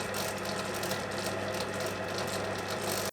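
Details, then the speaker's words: Lathe spur-gear gearbox with unfiltered oil at low spindle speed, below 500 rpm: steady gear whir with a rough, gritty crunch underneath, fine at high rpm; worn gearbox bearings needing replacement. "Now, as I'm sure some of you have noticed, the lathe, it sounds a little bit crunchy these days. really not what a lathe should sound like."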